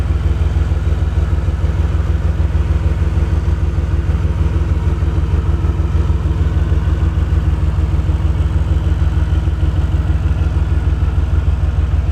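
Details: DeLorean, warmed up, rough idle: low thumping idle about three beats a second with a slightly uneven pulse while a dwell meter is hooked up for a reading; cause not yet found.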